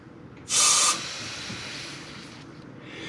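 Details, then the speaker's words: Mazda RX-7 FC3S with the intake pressure-tested before the dyno: a short sharp hiss, then a faint leak, of air escaping from the vacuum line pulled off the fuel pressure regulator. This line is a suspected boost leak source. "this line here we pulled off the fuel pressure regulator because it was giving a bad source for vacuum and it was it worked better once we got the new vacuum source on there but it has definitely got air coming out of it"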